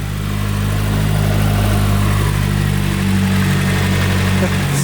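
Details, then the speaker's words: Nissan 240SX with a freshly built SR20 turbo engine, first run while bleeding coolant: a steady, even idle with no misses or knocks, possibly slightly noisy lifters; no leaks and 60 psi oil pressure. "Yeah, I think we did it. Got this thing running, bleeding some coolant."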